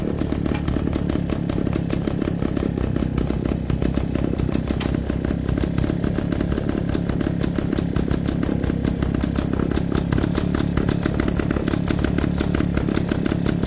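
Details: MZ BK 350 on its first start after restoration: even, steady exhaust beat at a settled idle with no knocks or rattles; the engine sounds smooth and healthy.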